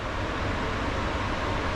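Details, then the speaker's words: Balcony exhaust fan with asynchronous motor on a new speed regulator after wiring correction, at speed setting two: smooth, steady airflow rush with no hum or rattle; normal fan running. "вот идеальная работа"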